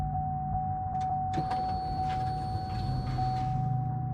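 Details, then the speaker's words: 2003 Chevrolet Suburban 5.3L 2WD after fuel pump replacement: key-on prime gives a steady electric hum and brighter whine for about two seconds, fuel heard going into the filter; pump priming normally. "I can hear it like going into the fuel filter right now"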